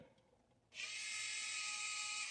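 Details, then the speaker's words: Old Chevelle electric exhaust cutout after its wiring and connector were protected: a steady high motor whir starts abruptly and runs evenly for about two seconds as the cutout opens, normal actuator operation. "all right try to open it nice hold on check the other side other side is open also go ahead and close"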